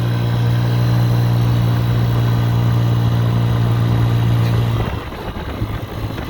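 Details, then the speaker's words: 50cc two-stroke scooter after a low-compression fix, fitted with a used cylinder, piston and rings from a roughly 3,800-mile scooter, with the carburetor retuned: a steady, even buzz, then a smooth drop-off as the throttle closes. It idles perfectly, running normally. "if i stop it's idling perfectly you know so it looks like it worked"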